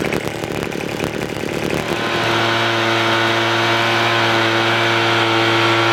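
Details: $10 Craftsman two-stroke leaf blower after the low-speed mixture screw was opened about a quarter turn to cure stalling: rough uneven firing at first, then it settles to a clean steady drone that holds speed and keeps running smoothly.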